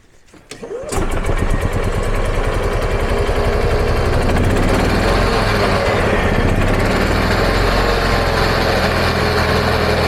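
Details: EZGO gas golf cart single-cylinder engine, a year non-running, after the plug was swapped for a slightly wrong-size plug: quick crank, catches, steady even putter; normal running.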